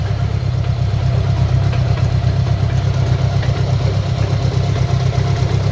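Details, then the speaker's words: Motorcycle bobber build on a Gold Wing engine with five speeds, idling: deep lumpy uneven beat and faint puffing tick from an exhaust leak at a crush gasket, plus driveline clunking through the gears. "you're a little bit exhaust leak down here yeah you hear the unevenness in the engine here that drive line clunking"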